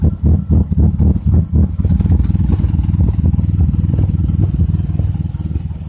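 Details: 2004 Chrysler Crossfire at idle while reading OBDII scan tool data: deep uneven idle with lumpy, irregular pulses about four per second that rise and sag; rough idle.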